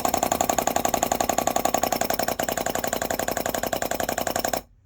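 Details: Pre-war car's rebuilt SU electric fuel pump, bench-tested on a supply before the filter, one-way valve and connections are fitted: crisp, even clicking about four per second as the points switch, stopping cleanly; pump working normally.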